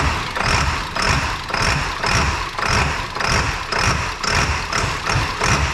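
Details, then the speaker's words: 2002 7.3 Powerstroke diesel, tune not yet refined (HP Tuners), about 60°F after glow plug cycle: loud, lumpy idle pulsing evenly about twice a second with no misses or knocks. A normal cold idle right after start. "like man does it get a nice Loop when you fire up on those cold starts I love it sounds good"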